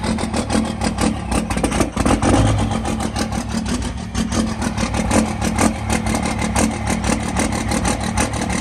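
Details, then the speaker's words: Diesel truck from Florida, possibly without a grid heater, just started in cold weather: it catches, then runs lumpy and uneven with wandering speed and a ragged beat; rough cold idle, cause not confirmed. "what the [ __ ] okay so it started but uh it doesn't like it it started but it does not it's not having a fun a fun day of running it's not happy"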